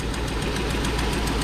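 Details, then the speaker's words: 1999–2006 GMT800 Chevrolet Silverado/GMC Sierra V8, first start after installing long-tube headers and cold air intake: sharp even ticking about seven a second over a steady idle, from an exhaust manifold leak at a broken bolt. "of course you can hear the wonderful exhaust leak you can see I got a broken bolt there in the"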